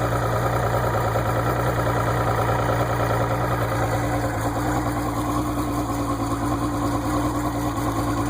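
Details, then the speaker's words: Outboard motor idling with the water pump working: a smooth, even idle with a steady low hum and no knocks or rattles, running healthy. "start it up, let it idle for a minute, bring it up in RPM, bring it back down, and then we'll run it forward and reverse."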